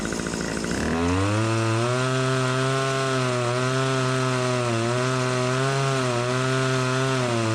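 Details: Stihl HS80 hedge trimmer two-stroke, idles fine but bogs on throttle, fresh fuel, carb adjustment gives no response: catches then runs rough, revs sagging and surging; owner suspects air leak or dirty carb, traced to incorrectly assembled carburetor.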